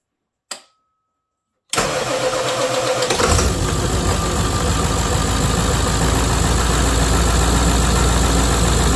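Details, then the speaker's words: Ported Stihl MS460 starting after its starter was repaired: loose brush mounts fixed, the starter honed and cleaned, and the brushes reinstalled and resurfaced. A brief click, then it catches at once and settles into a steady, even idle. "tightened all the screws, put it back in. Listen to this thing start now."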